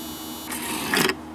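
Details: Electric mouse trap after its reset button is pushed: quiet hum, then a half-second motor whir ending in a sharper mechanical clack as the flip mechanism that dumps zapped mice into the box resets. Normal reset cycle.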